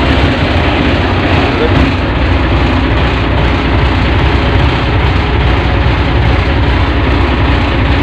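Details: Ship's lifeboat diesel engine that intermittently failed to start, suspected battery issue, tested in neutral: steady deep drone running evenly with no misfires or knocks; starting and running normally.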